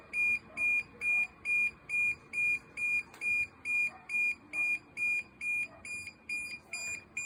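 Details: DJI Mavic Air 2 drone: rapid evenly spaced high-pitched beeps, just over two per second, repeating without pause; warning alarm, cause not identified.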